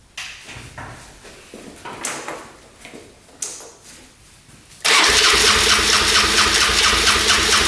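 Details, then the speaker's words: 1997 Polaris Magnum 425 6x6 ATV first start after carb jets cleaned and fuel pump tested: catches suddenly, runs rough and loud, backfiring through the carb; owner suspects worn cam lobe. "oh it's running backf firing through the carb you can see that's not good"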